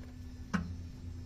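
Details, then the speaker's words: Mitsubishi L300 diesel idling after the EGR valve was cleaned and refitted, which had caused low power, check engine light and stalling; quiet steady low hum, no droning or knocking, one stray click; check engine light cleared. "Walang kaugong-ugong."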